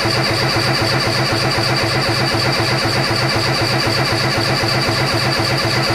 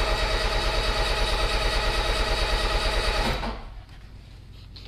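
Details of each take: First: Peugeot 205 freshly rebuilt engine (new clutch, 206/306 flywheel), coil disconnected, cranking on the starter: steady, even two compression pulses a second, no firing. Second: Peugeot 205 first start after engine rebuild with 206/306 flywheel and new clutch, carburettor unadjusted and ignition set by guess: steady starter cranking about three beats a second, never catching; wrong spark plug lead order suspected.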